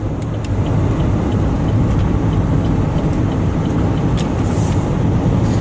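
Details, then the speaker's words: 2007 Chevy Uplander Braun wheelchair-accessible van, high mileage, cruising on cruise control at about 65 mph on the highway: steady low drone and road rumble, no knocks, whines or clunks, no warning lights; normal smooth highway cruise. "Like I said, I know the miles are pretty high on this van, but boy, it runs and drives down the highway smooth. No funny noises."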